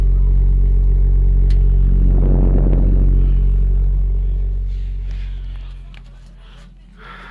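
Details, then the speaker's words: Garage stove with a built-in injector burner: a deep, steady, even low hum that fades away, so the burner is running normally. "здесь у меня стоит встроенный injector сейчас не видать за коптилась стекло его так вот он работает"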